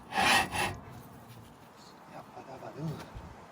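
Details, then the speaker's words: Mercedes Vito W447, front wheel off, hub turned by hand: harsh metallic grinding in two short bursts from worn brake pads (about 3–4 mm left), metal on disc; no brake wear warning shown. "but I'll just show you the the sound if you can hear it. It's it's really like grinding noise."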